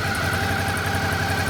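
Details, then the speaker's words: 2012 Suzuki DL650A on its first run after a starter relay/solenoid problem was sorted; compression is good. Steady, even V-twin idle with a smooth regular lope and no knocks or rattles. "so unbelievable i can't believe that that's all it was and everything else like good compression turned over that's it"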